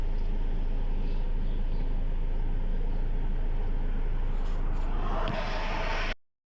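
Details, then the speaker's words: Ford Ranger 2.2 diesel after fixing black smoke, engine light and code P1103 by replacing a cracked intercooler pipe at the throttle body and the air filter: smooth even idle, no hunting; now drives and accelerates normally; normal idle. "แต่ตอนนี้ผมแก้ไขไปแล้วนะครับรถขับได้เร่งได้ปกติอัตราเร่งกลับมาเหมือนเดิมนะครับ"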